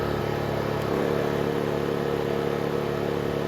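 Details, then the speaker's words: Honda EU2000i inverter generator after carburetor rebuild and fuel system cleanup, air box and filter correctly sealed: even steady hum, no surging, load moving smoothly from about 780 W to 1489 W without effort. "very smooth transition into 750 watts it's actually 780. and now we're seeing 1489 without effort"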